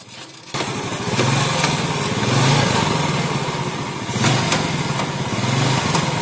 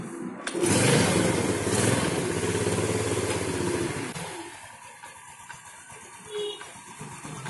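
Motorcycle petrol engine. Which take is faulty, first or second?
first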